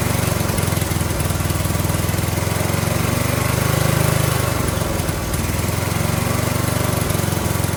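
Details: Briggs & Stratton 18 HP Vanguard V-twin, fuel turned on and hand on the choke: a lumpy beat that swells and sags instead of holding even. Rough running from user error, with the choke held in the wrong position too long.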